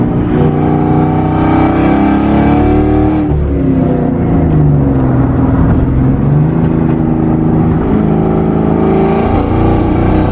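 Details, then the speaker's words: Boosted Mustang GT, fine when cruising, driving at a little over half throttle: pitch rises and falls, then the power note sags and stumbles as it cuts out under load; cause unknown. "So about around a little bit more than half throttle, it cuts out."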